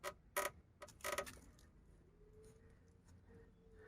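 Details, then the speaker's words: Isuzu Trooper body creak heard inside the cabin while driving: a few sharp clunks then a thin drawn-out creak from a metal panel behind the wheel arch liner whose two spot welds tore loose. "огда едешь на машине стоянов салоне стоит скрипт все это очень слышно внутри машины"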